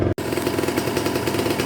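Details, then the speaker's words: Cold Kawasaki Ninja 150 RR two-stroke held at fast idle about 2000–2500 rpm during warm-up: steady, even buzzing crackle with no misses or knocks; settling at that rpm means fuel circulation is smooth. "Dan biarkan rpm nya itu naik kurang lebih sampai 2000 2000-2500 kalau dia sudah tenang di angka RPM tersebut berarti sirkulasi bahan bakar sudah lancar"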